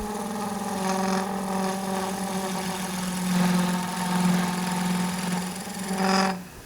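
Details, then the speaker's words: Skew chisel cutting quartersawn mahogany spindle on a lathe: steady hum with a rough fluttering buzz as the cut reaches the center of the span, where the workpiece vibrates. "Now the vibration you can hear is because I'm out towards the center."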